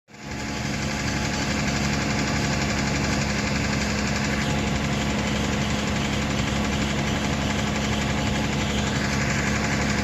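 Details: Toyota Tacoma manual at cold start idle: thin steady squeak over uneven light knock/rattle, changing when clutch pedal is pressed and released; goes away at normal operating temperature; cause not yet traced.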